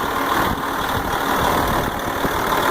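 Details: Truck with failing starter, started by jumping the starter with jumper cables: steady even idle with smooth low beat, no misses or knocks; normal idle.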